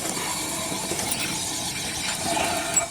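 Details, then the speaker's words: 2004 Ford Explorer Sport Trac front hub turned by hand gives a dry, gritty scraping crunch and barely spins: the front wheel bearing is chewed up and seized to the spindle. Fixed by fitting a junkyard spindle assembly. "So if you hear that sound coming from either side of your Sport Track, it's more than likely. Look at that, it doesn't even spin very well."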